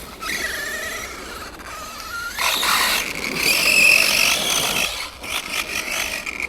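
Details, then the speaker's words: Arrma Granite 3S BLX RC car with aftermarket centre diff, centre shaft eaten by grit: high squeal rising and falling with the motor, gritty rasping over it. Drivetrain squeal; car won't roll free, owner suspects grit in the centre diff. "The only other problem with this is that the centre shaft's getting eaten away with grit. That don't sound good, does it?"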